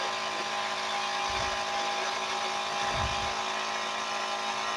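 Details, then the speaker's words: TSL dual SLDB 25 12 V DC dual diaphragm pump, unloaded in a noise test, about 93 dB (drops to about 80 dB under load): a loud, steady high buzz over a constant hum, no surging or rattling, running normally. "Oke kita Nyalakan dari sini nah kelihatan suaranya Le kencang ya tapi kita lihat aja nanti"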